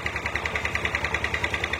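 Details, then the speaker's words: Yamaha Aerox 155 that had error codes 12 and 46 (charging fault) and a weak battery: after codes cleared, it starts and idles with fast ticking pulses and a gravelly, rough edge on each beat; cause not pinned down. "nah timbul permasalahan lain adalah nah langsam itu jadi enggak ini ya bisa langkan cuman lebih bunyi kasar itu bunyi kasar akibat"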